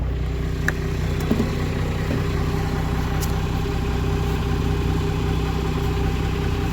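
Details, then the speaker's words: 2nd-gen Cummins diesel truck warming up after a cold start: steady, even low rumble at idle, a little low until warm, good oil pressure, no knocks or misses; normal idle. "she fires right up now she does idle a little low just for now good oil pressure once it warms up RPMs come up"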